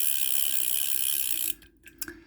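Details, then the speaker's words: Vintage Korean-made Daiwa 100X reel with a brass axle and screw-in handle, in working order. Crisp, rapid, even clicking as it turns, light and regular with no grinding or rough spots: normal reel clicking. "But anyway, it works. It's a piece of history. I love this kind of reels."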